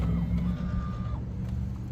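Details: Tesla Cybertruck parked with rear motor disabled: short, clear electronic alert tones over a low hum, recurring after a reset and lock/shutdown. Fault alert chime, rear drive motor disabled.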